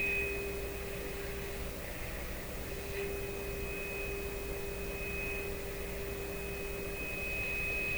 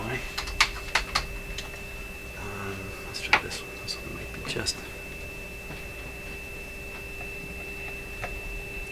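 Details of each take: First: PYE Model 762 shortwave receiver (about 70 years old), final alignment: pure test tone over hiss wavers and drops in and out as the jumpy, pressure-sensitive oscillator trimmer flips between two positions; screwdriver too small to control it. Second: PYE Model 762 shortwave receiver (about 70 years old), final alignment after switching to a bigger screwdriver: clean steady tone, no drift or crackle, under a few knob clicks; trimmer tuned for maximum meter before RF trimmers.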